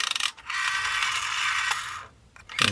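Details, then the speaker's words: Dry, high-pitched grating squeak instead of a smooth whirr as the rotary dial returns on a never-used, new-in-box 1982 Telecom Australia 891 (800 series) wall phone; owner suspects the stiff run-on part needs loosening up or lubricating, unconfirmed. "Whoa. Yeah, she's not the happiest. And so, may need something lubricating in there. Yeah, that noise is there's something."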